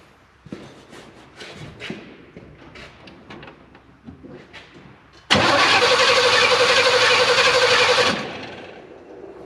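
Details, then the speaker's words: Abandoned Chevrolet K5 Blazer revival, wiring uncertain; about three seconds of steady, even cranking at roughly four beats a second with no firing at all, no spark arc seen at the plug lead: cranks but won't start, likely no spark. "I can't see from in there. I don't think she has any fire."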